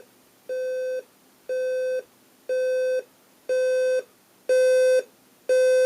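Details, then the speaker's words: Ascending-volume alarm on a General Electric 7-4809A nature sounds clock radio: clean half-second mid-pitch beeps once per second, each louder than the last; the alarm is working normally. "okay well there's your alarm there sounds like it's getting louder yeah it's getting"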